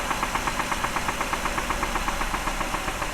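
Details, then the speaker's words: 2008 Ford Escape, 141,000 miles, oil last changed a year ago, 4,000 miles overdue, low on oil with oil light coming on; idling with a steady, sharp knock about four a second; engine done, needs replacement. "Start it up, David. Hear the knocking? That engine's done."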